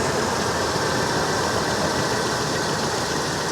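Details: 1988 Mercury Cougar XR7 V8 idling with a steady, even rumble, smooth unbroken beat, no knocks or misses; brief lifter tap heard earlier, now idling cleanly.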